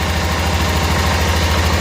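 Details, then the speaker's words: 1988 Club Car golf cart, 8.5 hp Kawasaki engine, barn find; governor spring trashed, spark checker still fitted; even low putter holding a steady beat with no stumbles or misses, a clean healthy idle. "wow runs good this thing has a lot of issues related to um the governor"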